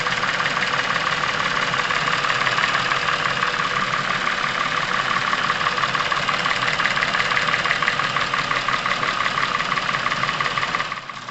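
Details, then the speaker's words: Chevrolet Epica over 200,000 km, warm idle: quick, steady light ticking from the top of the engine over an even hum; cylinder head periodically oil-starved, hydraulic lifter tick and noisy camshafts, before a Dimexide engine flush. "стало понятно что головка блока цилиндров периодически находится в состоянии масляного голодания о чем говорили внезапно стучащие гидрокомпенсаторы и шумящие распредвалы"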